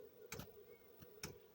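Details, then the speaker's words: Chinese diesel air heater after priming and slow start: dosing pump kicked in, crisp ticks roughly every second over faint steady hum, feeding fuel normally, awaiting warm air. "thank god now as you can see the bumpers kicked in now i would hope for the air to start feeling a bit warm"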